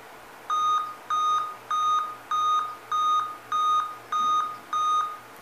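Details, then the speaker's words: Dell Inspiron 14 laptop at power-on with a scrambled screen gives eight steady high beeps, the Dell eight-beep display fault code; usually the screen itself, sometimes the flat display cable. "no delta 8 bips é quando o problema está relacionado à tela o que acontece geralmente pode ser a própria tela tá em alguns casos pode ser o cabo flat"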